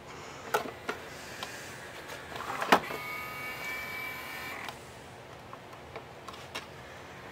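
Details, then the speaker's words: RCA PR8070D 5-disc CD changer with no belt; a cog, gear and arm push the tray out and pull it back: short whirring motor run with faint rising whine and clicks, tray drive straining against something gummy and sticky. "okay no no belt on this one it's this this Cog right here this gear and arm is what um shoves the door out and then it'll pull it back in see what so something's Goofy and gummy"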